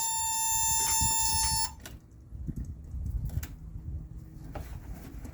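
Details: 1970 Datsun Roadster SPL311, recently revived after sitting 30 years: shrill steady electric buzz for under two seconds then cuts off; a warning buzzer, possibly the key-in reminder, sounding; cause unconfirmed, wiring suspected.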